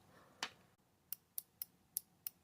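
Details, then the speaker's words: Relay bench test, coil energised at nearly 19 V from batteries in series through a resistor: six crisp, sharp, consistent clicks in about a second and a half as the switch operates; relay switching properly. "You can see that's operating the switch, and then when we disengage that there will be a back EMF created."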